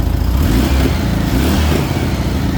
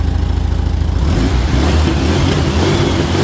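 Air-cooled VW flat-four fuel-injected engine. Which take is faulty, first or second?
first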